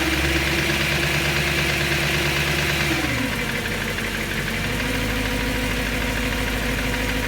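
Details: BMW M3 S65 V8 after bearing replacement: light, fairly even tick about three per second at idle, continuing after idle drops; still sounds abnormal, source not pinned down.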